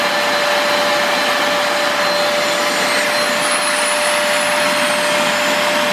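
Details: Multilaser HO03 1000 W 2-in-1 stick/handheld vacuum running empty during power-use test: steady airflow rush with piercing high whistle; annoying high-pitched motor whine, cause unclear.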